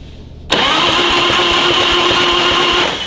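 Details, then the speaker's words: Harley-Davidson Twin Cam 88 first start after a Feuling cam chest install with ThunderMax tune; the oil pump was pre-filled with oil. The starter catches after half a second and the engine settles evenly without knocks, quickly building oil pressure; normal starting. "that was easy that means we built oil pressure oil pressure is good everything's pumped up"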